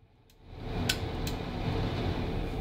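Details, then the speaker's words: Bathroom exhaust fan after reconnecting a Zigbee switch module for Homey Pro automation: spins up within half a second to a steady, even low hum, no rattle or scrape; normal operation. "okay I hear the bathroom Fran running and everything is doing what it's supposed"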